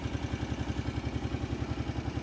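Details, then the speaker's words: 2008 Kawasaki Brute Force 750i fuel-injected V-twin ATV with oil leak and clutch issue, just started: even, steady idle thump with no knocking or clatter, nice and quiet; normal idle. "engine sounds good that's a good sign all mine are Clank Clank Clank Clank Clank they don't sound like that that thing's nice and quiet this thing sounds good"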